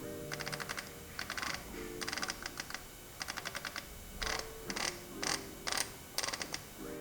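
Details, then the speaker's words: 1919 Famous James vintage bike, rebuilt hub with freshly greased bearings and refitted freehub: crisp even ratchet ticks in quick bursts while spinning and coasting, no grinding or skipping; normal freehub, sounds like new. "and it still sounds like brand new. Quite amazing."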